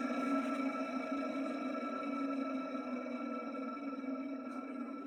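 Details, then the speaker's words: Vintage ILGJET 24-inch Type Q air circulator fan motor, blade removed, running then switched off: a steady hollow whine with a fluttering, gritty undertone from the original dry, crunchy 6203 bearings, before replacement. "You'll get to hear how bad these bearings sound. And particularly when I turn the motor off, take a listen."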